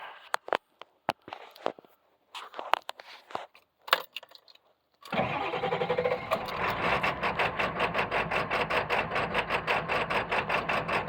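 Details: 1999 Ford F-450 7.3 Power Stroke diesel with touchy throttle: it fires up and settles into an uneven, lumpy idle with a pulsing clatter; rough idle, cause unknown.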